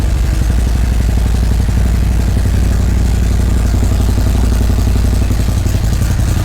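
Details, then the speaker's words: 2017 Harley-Davidson Ultra Classic Milwaukee-Eight 107, first start after fitting a Feuling 465 cam, Rinehart dual header exhaust and upgraded 2020 oil pump: deep, loping idle at about four beats a second. Steady, with no ticks or clatter; sounds normal. "all right awesome everything sounds good with it you know popped right off no funny noise is there anything that's way it should sound"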